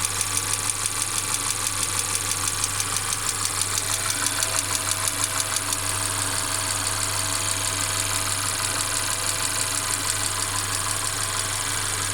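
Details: Mercedes CLA 250 at quiet idle: sharp metallic clack repeating evenly about ninety times a minute; intermittent engine clacking, cause unknown; car also stutters when accelerating after long slow driving.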